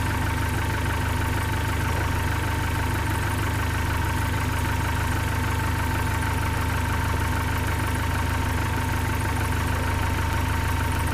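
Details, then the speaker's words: 1972 Datsun 510, L20B carbureted engine, after vacuum leak fix, idle adjusted before mixture adjustment: steady, even low idle with smooth regular beat, no misses or hunting; very stable normal idle. "it's very stable now that I got that done I'll go ahead and try to adjust the fuel mixture setting"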